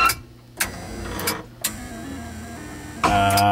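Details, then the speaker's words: Betson claw machine, restored with fuses replaced after a bridge-wiring short: crisp relay clicks under the label fire about every half second between steady gantry motor whirs through left, right, forward, drop and home; normal relay and gantry motor operation. "what you're hearing are all of these relays which are underneath this label firing as needed"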